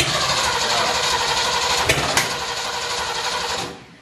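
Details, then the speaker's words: Ford F100 with Ford 351 Windsor V8, first start attempt: steady rapid starter churning, about three to four turns a second, no firing; fuel not yet coming through from tank to carburettor, fuel later foamy and dirty, possibly diesel in line. "it's not coming through from the tank yet not yet hey okay ish"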